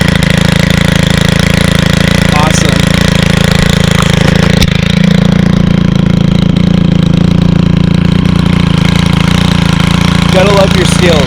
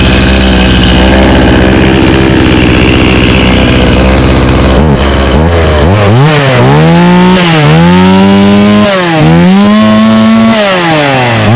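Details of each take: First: 2022 Stihl FS91 trimmer, 28cc 4-Mix engine, first start of season: loud steady buzz holding an even beat at idle without stumbling; healthy, clean running. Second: Stihl 018C 32cc chainsaw started on old gas: revs climb and sag repeatedly under throttle, a little boggy. The old fuel is suspected as the cause, though it started very well.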